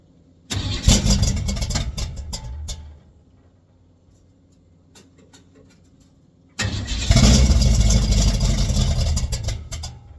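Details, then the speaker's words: 1959 GMC truck with rebuilt Holley carburetor, now fed by the freshly cleaned factory tank and electric pump: engine catches, falls quiet, fires again and settles into a steady idle with no knocks or stumbling; normal start. "So, but we got fuel being pulled from our freshly cleaned tank now. That is awesome."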